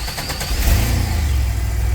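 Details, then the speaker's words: 2000 Chevy Astro, crank-no-start and stalling history, crankshaft position sensor code, after codes were cleared: brief starter whirr, engine catches at once and settles into a deep, even idle; check engine light off, starts and runs normally. "Start right up. So as you can see here, the check engine line is gone, the engine is running. You can see running no problem."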